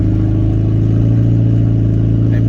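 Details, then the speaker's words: 2003 Toyota Prius driving at about 53 mph while accelerating; loud, deep steady exhaust drone far too raw, because the catalytic converter was stolen. "so this is what my car sounds like after the cadillac converter was stolen"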